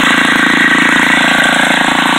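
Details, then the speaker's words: Old salvaged Craftsman edger, small single-cylinder engine, on a 95° day with the clogged air cleaner removed: loud, even fast idle with no misses; runs again, clogged air cleaner was the problem. "I've got it running, so I will have to get another cleaner or sell it as is, but I took that air cleaner off and it pretty much started right up."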